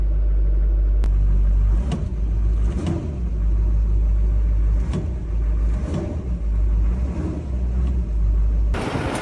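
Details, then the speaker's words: 2005 LLY Duramax regular cab, 168,000 miles, after fuse box, fuel filter and faulty FICM repaired: deep, steady diesel idle with even rhythm, no misses or knocks; normal idle. "so we've got 168,000 mile LL regular cab Duramax running and it doesn't sound like a tractor"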